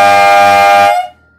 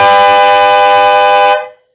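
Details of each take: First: Harbor Freight three-chime Dixie-type horn set before tuning: loud steady multi-note blast about a second, chord grates with one bell off-pitch, sounding tacky; out-of-tune horn bell, later replaced with a cut-down Wolo longhorn bell. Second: Harbor Freight three-chime horn set tuned with an additional fixed bell: one loud, steady chord about 1.5 seconds, clean, in tune and harmonic, no rattle or buzz; normal horn tone after fix.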